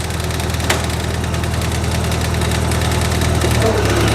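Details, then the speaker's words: International 184 tractor after ignition component repairs, idling outside after sitting a while: even low thrum about four beats per second, no misses, knock or stumble; minor chatter from vibration; normal running. "it's been sitting outside for a little while now and seems like it's idling perfectly fine again we're gonna let it sit and see what it does"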